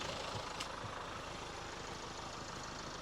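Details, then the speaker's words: 2017 Land Rover Evoque diesel, manual, about 40,000 miles, bought with engine failure, idling just after start with the oil topped up. Quiet, steady idle with no knocking and no oil light; some smoke later, suspected turbo oil in the exhaust. "oh that don't sound too bad that don't sound too bad at all got no oil light"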